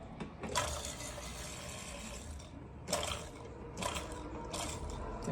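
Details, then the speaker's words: Worn drain pump from a Maytag MHW3505FW0 front-load washer (F9E1 drain pump code, wouldn't reach high spin) run on the bench on 110 V: uneven rough grinding and rattling with watery gurgling; pump motor worn out, whole assembly replaced. "sounds like trash. Gross."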